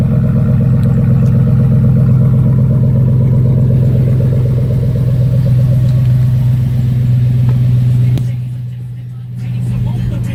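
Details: 2004 Chevrolet Suburban V8 with Dynomax bullet race muffler, new power steering pump, cold start after sitting a week: deep loud burble, steady even exhaust pulse, fast high idle settling with no knocks; normal healthy cold start.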